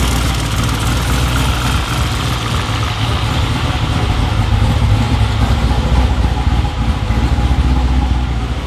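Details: Corvette C7 V8 on its first start after a twin-turbo install, with residue burning off and coolant air bubbles still to work out. A deep, even burble with a steady low rumble and no knocks, misses or whines; a settled idle.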